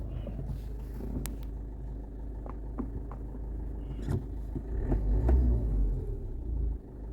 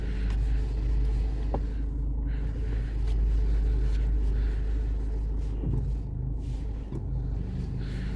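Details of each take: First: Toyota engine idling as brake pedal is pressed, sharp irregular clicks over low rumble, heard on hard and light braking without turning the steering; sticking front brake caliper clicking. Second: Toyota braking while turning: low steady rumble with no clicking; only a faint normal brake strain from the rear, considered normal, not the sought noise.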